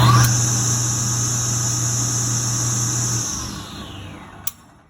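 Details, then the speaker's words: Table saw single-phase motor, rewired from 240V to 110V, new capacitor, after fixing the centrifugal start switch contacts: snaps up to speed at once with a steady hum, then coasts down smoothly; normal start. "but here we go and this is how after we fix decent trip clutch this is how easy it starts"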